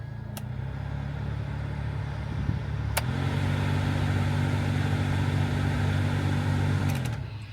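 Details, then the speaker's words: Toyota FJ Cruiser AC blower motor, fan on; steady hum with faint rhythmic flutter, owner suspects debris in the blower, about to remove and clean it. "you should be able to hear that um that's the AC motor the blower motor and I'm about to take that out and clean it out and see if that rectifies the issue"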